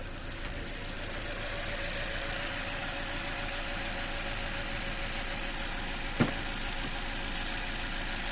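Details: Toyota Corolla 2013 (titled 2014) with misfire, stumbling and weak torque: uneven lumpy idle with occasional stumble and one sharp pop as a cylinder drops out; misfire moved with swapped coil, confirming faulty ignition coil.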